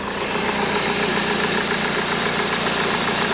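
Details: Honda Civic MK8 with AC, after replacing the rattly, loud tensioner and idler pulleys that caused rough running: engine idling with a smooth, even hum, no squeal, chirp or grinding from the belt drive.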